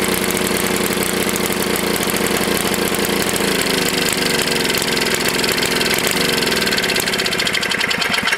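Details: Tecumseh HS40 small engine, first run after long storage and carburetor cleaning: screams at a high, steady speed with a rapid even beat and never returns to idle because the throttle plate is stuck.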